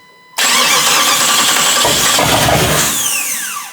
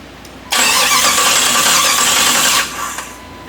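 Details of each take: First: Jeep TJ swapped to a Chrysler 318 V8 with an AW4 transmission, on its first start attempt with guessed wiring and relays: the starter whirs steadily for about three seconds but the engine never catches; cranks with no fire. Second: Jeep TJ with swapped Chrysler 318 V8 and AW4 transmission, first crank: strong, even starter churn for about two seconds with no grinding or clicking; normal cranking.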